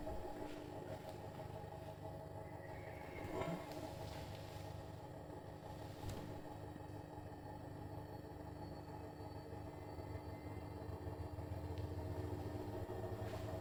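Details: Brand-new Bosch Serie 4 EcoSilence washer, technician-installed, transit screws removed, balanced: spin from about 400 to 1400 rpm, loaded or empty, steady deep rumble with faint tones, drum/spindle louder than quiet brushless motor; cause unknown.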